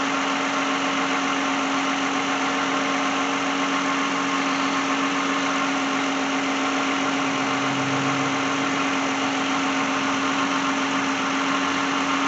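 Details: 2010 Lexus at idle during alternator check before a no-start diagnosis, charging at 13.8–13.9 V: steady, even idle with smooth hum and no knocks, ticks or misses; normal idle.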